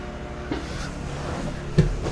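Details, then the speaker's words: Generator charging a Bluetti Elite 300 in an RV, max input 8 A (960 W), while a microwave draws power; output reaches 1580 W: steady low drone with a heavier thump and sag, the generator bogs down under heavy electrical load. "And you hear the generator bog down a bit. I went up to 960 and it's outputting 1580 watts because the microwave needs that amount of power."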